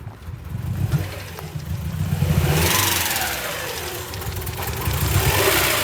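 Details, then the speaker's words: 1999 Honda Prelude, 113k miles, dies when warm, suspected flooded rich; during a screwdriver spark check, with gas added, revs surge and sag with a ragged, rough note and no steady rhythm, described as so rich: rough running when revved. "now you're adding gas [Applause] it's spreading so so rich"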